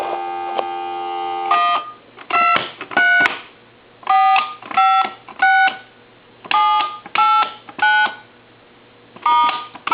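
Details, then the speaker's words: Coby CT-P750 big-button speakerphone dialing through a test analyzer: two-tone keypad beeps where key 3's tone is slightly off frequency, so the analyzer rejects it; the phone company's looser tolerance still accepts it, and the phone works. "So we know this telephone is working even though the number 3 doesn't hit the frequency that the tone generator is creating through the telephone."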